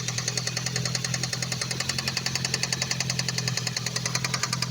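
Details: Ford Focus ST at idle: sharp, fast ticking about three to four per second in a steady rhythm; owner unsure whether injector or cam phaser, not timing chain, later suspects a split coil, found a bad coil on cylinder three.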